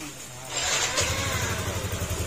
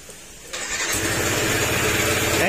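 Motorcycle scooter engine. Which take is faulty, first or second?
second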